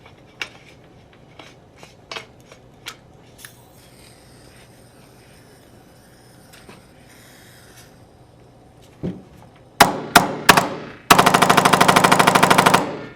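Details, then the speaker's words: Tippmann X7 Phenom paintball marker after regreasing and reinstalling the trigger pin, following a fault where it fired mechanically but not electronically: clicks, then a fast even burst of sharp shots; now cycles cleanly in electronic mode. "and you can see that now works in the electronic mode and that's how you diagnose a firing issue with your titman X7 Venom"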